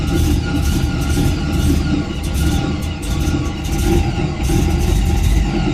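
Lumpy, uneven low rumble that rises and sags every second or so instead of settling, so the engine is idling rough.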